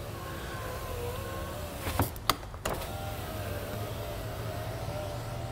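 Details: Honda Element passenger power window after diagnosis and repair, during the final operation check; smooth steady whir of the window motor for a couple of seconds, stopping cleanly with a soft thunk; working normally.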